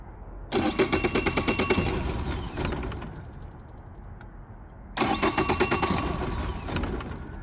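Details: 2020 Mercury 150hp outboard cranks in two bursts with a pulse about three times a second but never catches; turns over but won't fire.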